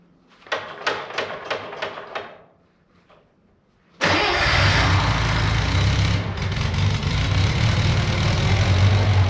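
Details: Budget Bobcat skid loader, about a year into ownership, using no oil and about a tank of fuel in roughly 17 hours: several quick cranking pulses, a pause, then it fires and settles to a smooth, steady idle. A normal start and idle.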